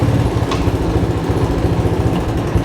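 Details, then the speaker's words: 1985 Honda ATC200M three-wheeler, cold start after sitting for years, carburetor rebuilt, new battery and oil: small single-cylinder putters at a steady, even beat, no knocks or misses; responds to throttle, runs well. "I guess it runs. Responds to the throttle real good. And it moves."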